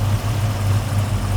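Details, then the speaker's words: 1969 Chevelle 383 V8 with a fairly aggressive camshaft and a newly installed FST Billet X-treme carburetor, idling in gear (aftermarket overdrive electronic transmission). Deep, slightly lumpy, steady rumble that doesn't hunt or stall; normal idle. "yeah okay that sounds really nice okay so we're adding about 30 no there's a fairly aggressive camshaft on a 383 and idling right now"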